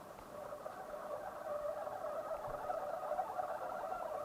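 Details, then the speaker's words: Coolmoon Crystal Diamond 120 mm ARGB PC case fans on their remote speed controller's lowest speed: steady rough growling hum, fans sound like they want to stop; middle speed is silent, controller or low-speed design suspected. "so there is a kind of an odd resistance going on there let's turn on so that is the fans off let's do speed one up kind of growing into a hole there not sure what's going on there"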